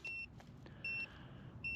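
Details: Motorcycle TPMS (OBEST wireless, external sensors) being screwed onto a kayak trailer tire valve before setup: three high-pitched electronic beeps about 0.8 s apart, alerting because the sensor isn't configured yet.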